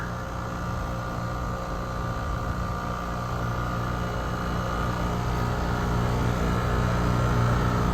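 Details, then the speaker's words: 2017 Weatherking air conditioner with a badly frozen suction refrigerant line, seemingly low on refrigerant charge: the compressor gives a heavy, steady low drone with a rough, pulsing hum that sounds weird; abnormal compressor noise. "so you can hear what it sounds like when it's frozen up like this sounds really weird doesn't it"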